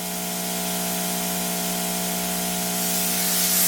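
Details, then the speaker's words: Ya Xun 902+ hot air rework station, air pressure 8, 450 °C reached, nozzle moved away: steady airy rush with faint constant blower hum, no rattle or pitch change; normal station noise. "esse é o barulho da conselheira estou afastando a ponteira pra você ouvir só o barulho da estação"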